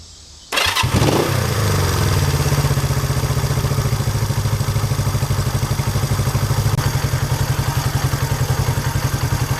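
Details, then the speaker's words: Honda 350 twin after throttle cable, carburetor sync and idle mixture adjustment: fires right up, then a slow, lazy thump about two beats a second; idle set low. "It's idling a little bit low, so I'll give each side about 1/8 of a turn. Sounds pretty good."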